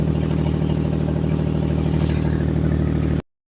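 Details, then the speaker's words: 2004 Mazda MPV 3.0L: loud deep chuffing at idle, louder when revved, from an exhaust leak at the failed flex pipe after the bank 1 manifold. "this is what it sounds like inside the van and when I rev it up I mean it it gets loud so we got to get that fixed today"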